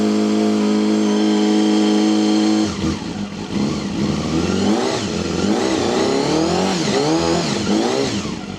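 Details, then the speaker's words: Honda CBR250RR MC22 after a no-start fix with cleaned carburettors, tuning and a rusty tank treated, on a cold start: engine settles into a steady idle with a gentle hunt, then revs cleanly. Running normally. "So it's still a bit cold, but she's running really nice. It's got that nice hunt to it."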